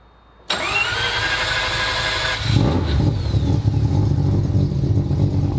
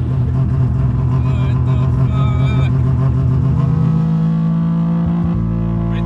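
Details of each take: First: Rob Dahm 3-rotor rotary engine started: starter whirs briefly, engine fires right up at once and settles into a steady, slightly lumpy idle; healthy start. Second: Three-rotor rotary pulls hard and drones, then the note sags and the rumble drops away as if it flames out and dies, then won't restart; misfire and stall, owner hopes it's the old spark plugs refitted.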